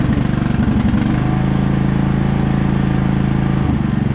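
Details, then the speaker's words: Briggs & Stratton Intek riding lawnmower engine after head gasket replacement and cleaning cooling fins with carburetor cleaner: even, quick putter at steady speed with no misses, hiss or puffing; runs great, repair worked. "and in this case worked well new head gasket everything runs great"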